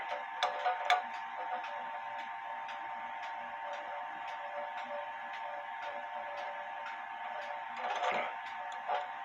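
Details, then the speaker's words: Clock out of beat: pendulum stop distances unequal (about an inch on one side, 2¼ in on the other); soft ticking, couple of beats a second, tick and tock unevenly spaced, crutch needs adjusting. "you the goal of putting a clock in beat where the pendulum stops you want the same amount of distance on the left side as you have on the right side to get that even tick tock"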